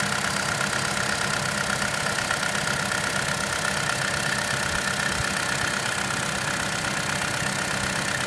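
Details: 2013 Chevrolet Cruze Eco at idle: light, fast, even clicking about twice a second over a steady small-engine idle, which the dealer says is normal; normal injector clicking.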